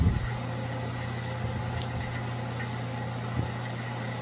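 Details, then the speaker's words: ILG Model 123-XQ explosion-proof fan, 1/20 HP, 115V, 1.6A, 1725 RPM motor with centrifugal switch, on its initial run and tilted to reduce wind noise: steady low electric hum with soft even whoosh. Normal running. "i have the fan tilted to the side a little bit so shouldn't hear as much wind noise and just hear more of what the fan sounds like so here we go"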